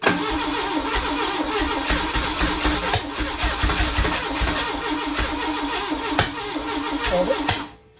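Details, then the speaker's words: 1981 Fiat X1/9 converted from EFI to dual Weber carbs; fast cranking with a few ragged catches that never pick up. The spark plug wires were found installed backwards: crank, no start. "Yeah, it's still acting real weird. >> Does it flip? >> Uh, all right. Okay. Come to find out, all the wires were bats backwards."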